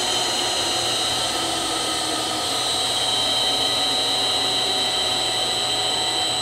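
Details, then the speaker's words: Three-phase milling machine motor on a VFD, drive frequency being lowered by holding the button: high-pitched whine with faint steady tone, pitch easing down as speed drops; motor slowing normally. "So you kind of want to bring it to like the third one over there and then And when you hold it down, you hear it slowing down."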